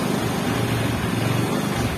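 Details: Xeon GT125 scooter with hard starting, won't start on the starter, runs with an uneven, stuttering rumble only while the throttle is held and dies when it is released; fouled spark plug.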